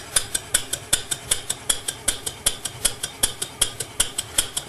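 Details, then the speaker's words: PM Research 6CI horizontal steam engine, ¼ HP, running on compressed air and driving a permanent-magnet generator lighting a 10 W lamp: crisp, even exhaust chuffs about 158 a minute, no knocks or stumbles; healthy under load. "going to go ahead and introduce the load by turning on the switch here and now we're making power"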